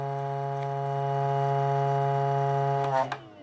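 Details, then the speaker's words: Brand-new Feiyue FY710 sewing machine bobbin winder: a loud, steady, harsh buzz for about three seconds, then cuts off. It buzzes instead of spinning cleanly and cannot wind bobbins. "Yeah. Buzz, buzz, buzz. I don't recommend this machine at all."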